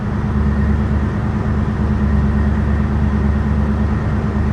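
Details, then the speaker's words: 1969 Dodge Super Bee idling stationary with the AC, serviced about a year ago, engaged. Smooth, even low rumble with no knocks, squeals or grinding. Vent air is around 50°F, so the system is not leaking and works normally. "Now this is not as efficient as if R12 was in there. You can see we're coming up on the green zone in the on the thermometer. So I mean, really, I'm gonna say this thing is not leaking, and we're just, you know, basically as cold as we were a year ago."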